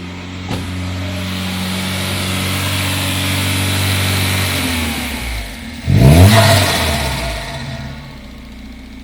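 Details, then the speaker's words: Citroen Xantia Activa, running for the first time: revs climb and hang high for seconds before sagging slowly back instead of dropping to idle; the throttle is a bit stuck. "attractiva lives yes the throttle is a bit stuck"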